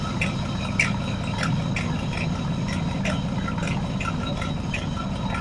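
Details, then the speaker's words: Dodge with 24-valve 5.9 Cummins diesel after cam position sensor install without removing injection pump: thin steady squeal over a low even idle with light ticking; drive belt slipping; belt squeal. "Okay, let's just see if she'll fire up. [Music] I got a squealy belt."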